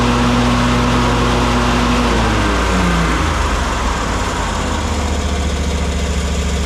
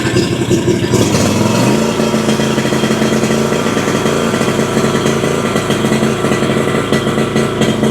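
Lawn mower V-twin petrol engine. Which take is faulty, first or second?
second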